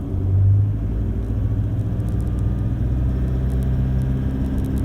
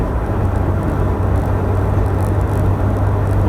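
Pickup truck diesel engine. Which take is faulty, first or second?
first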